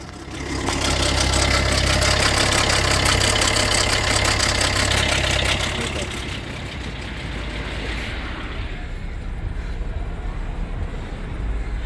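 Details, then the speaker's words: Fiat 500L with the engine light and oil pressure light coming on: a loud start, then an idle with a fast even rattle about three beats per second; suspected stretched timing chain needing replacement. "but obviously that rattling noise yeah that's the chain the chain has be right there chain has to be changed"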